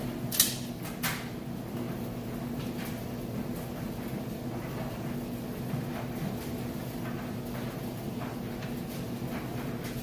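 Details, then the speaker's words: Amana electric dryer, like-new, running with a full load of clothes: a couple of door clunks, then a steady, even low motor hum; dryer working normally. "And there you have it. Now you know the dryer also works perfectly."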